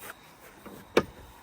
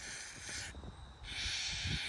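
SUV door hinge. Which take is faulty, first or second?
second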